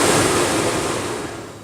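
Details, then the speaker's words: BMW 635 blower motor on an aftermarket PWM speed controller, ignition on, turned all the way to maximum: even airy rush that slowly dies away, smooth and quiet, no ticking, rubbing or squeal; normal blower operation. "All the way to maximum. And works pretty smoothly and quietly."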